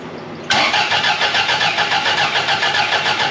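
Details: 1982 Fiat 124 Spider, freshly rebuilt engine (built twice), fuel-injected at about 35–40 psi: steady rhythmic cranking at three to four pulses a second that never fires because ignition timing isn't set yet; crank no start.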